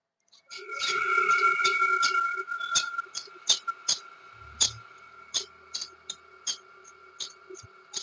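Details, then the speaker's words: Ceiling fan before bearing service: sharp uneven ticks, roughly two or three a second, over a faint steady hum from a dried-out upper bearing; left unfixed, coil may heat and the fan burn out. "क्या आपके घर कभी पंखा इस तरीके से आवाज़ करता है? यदि आवाज़ करता है तो तुरंत बनवाइए दोस्तों, नहीं तो ये पंखा बहुत ही जल्द जल जाएगा।"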